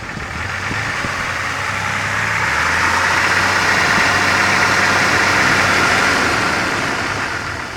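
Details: Steady engine idle with a quick, fairly regular ticking about three per second over the engine; odd noise, source not pinned down.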